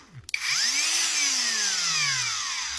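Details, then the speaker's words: Angle grinder that would not power up, fault found in the switch, wires resoldered: it spins up cleanly to a steady, even high whir with no grinding or stutter and now works normally. "vous pouvez voir ça fonctionne donc c'était juste C [ __ ] de d'interrupteur"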